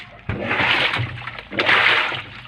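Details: Panasonic top-loader washing machine after replacing a broken, loose drive belt (size M 19.8): water sloshes and splashes in two surges over a low motor hum, drum now agitating normally.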